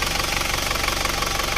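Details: Isuzu Panther automatic diesel, after a ring and valve-seal rebuild, warm idle at working temperature on a road test: quick, even clatter holding a steady rhythm without faltering, and no visible idle smoke. Healthy.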